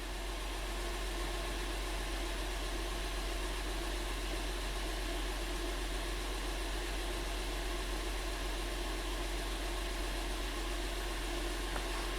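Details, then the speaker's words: 2012 Honda Pilot 3.5L V6 after P0303 cylinder 3 misfire repair; even, steady idle with no stumbles, no misfires counted, fix confirmed. "right now engines happy and you can see or bee doesn't show any misfires either"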